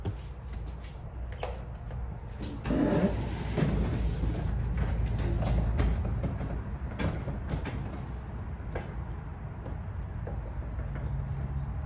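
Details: Garage door opener after silicone lubricant applied to the door: quiet low even drive hum with only a few soft clicks along the travel; runs smoothly without grinding or squeal.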